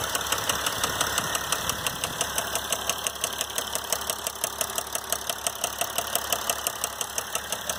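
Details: 2012 Mercedes GL350 diesel at 125k miles with a sharp, steady, metallic ticking knock at about three per second over idle; confirmed failed rod bearing (rod knock).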